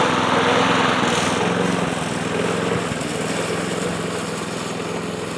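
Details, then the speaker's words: Yard Machines Gold Series (MTD) mower with pre-cleaned replacement carburetor, oil added to cylinder: thin laboring note sags under mowing load and pulses unevenly; still running poorly, low compression. "you guys can hear how it's running it ain't running good"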